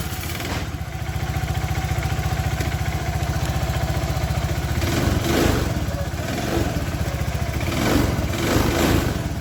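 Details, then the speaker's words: Suzuki Nex fuel-injected scooter before teardown, with heavy white smoke, oil running out fast and power loss: uneven, harsh idle pulsing about four times a second, rough surges on each blip. "Sepeda ini mengalami kondisi kengebulan ya. Dan kemudian suaranya itu kasar sekali. Suaranya itu atek gitu."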